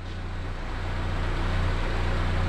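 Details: Renault 5 with C1J turbo engine after EFI conversion with MaxxECU Mini, ignition no longer locked at 10° fixed advance: low steady four-cylinder idle, even beat, no stumble, settling smoothly; normal idle.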